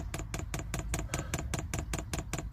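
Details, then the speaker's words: Newly fitted diesel heater in an LDV Convoy, first fuel priming: crisp, evenly spaced dosing-pump ticks about four per second as fuel with air bubbles comes through; pump priming normally. "all right that's going don't know if you can hear the pump clicking all right it's coming through bit of air"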